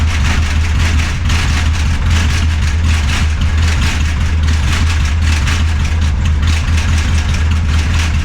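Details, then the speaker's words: Barn-find Austin Mini 850 pickup stored 30 years, dual carburetors fed from a fuel drip bottle: deep, uneven low rumble barely holding on, then dying; won't keep running, throttle has no effect, has oil pressure; carburetors suspected. "well I can't keep it running but when it is running it does have oil [Music] pressure"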